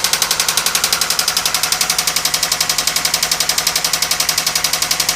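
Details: 1997 Toyota Camry running: fast even metallic knock about eight or nine hits per second, developed while driving with repeated engine cut-outs and white exhaust smoke; head gasket failure with water in oil suspected, not confirmed.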